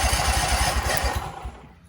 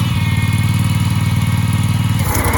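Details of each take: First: Husqvarna commercial zero-turn mower that sat 4 years, not yet running, cranked by jumping the starter solenoid: rapid low thumping of the starter turning the engine over for about 1.5 seconds with no firing. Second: Husqvarna commercial zero-turn mower that sat 4 years in storage, after cleanup: small petrol engine holds a steady, even beat after a throttle change and settles into a smooth healthy idle.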